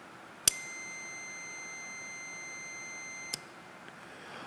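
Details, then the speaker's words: 2021 Ford Mustang Mach E GT high-voltage battery junction box contactor, removed and energized from a 12 V circuit: sharp click, steady continuity-meter beep about three seconds while closed, another click dropping out; normal contactor operation. "یہ کنٹیکٹر کافی شور مچا سکتے ہیں یہاں ہم آپ نے سنا ہے کہ کلک کریں"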